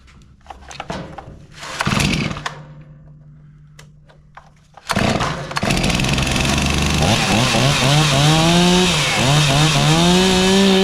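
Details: Chainsaw after the old fuel was emptied and the carburetor adjusted. Two pull starts, then it catches and runs with clean, even revving up and down; sounds healthy and crisp.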